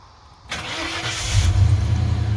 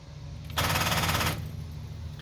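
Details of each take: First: 1995 Ford F150 that wouldn't restart and clicked because of corroded battery terminals, after cleaning them with baking soda and water and tightening them, no jump box needed: the starter spins, the engine catches cleanly and settles into a steady, even idle with no clicking. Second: 1995 Ford F150 that kept losing power, after brushing corroded battery terminals (battery had tested good): a fast rattle of solenoid clicks lasting under a second with no cranking; suspected dead or low battery.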